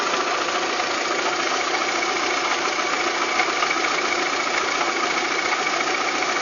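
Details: VW Golf 3 engine at steady idle: irregular light tapping about three or four per second over the hum; abnormal engine knock, cause unknown.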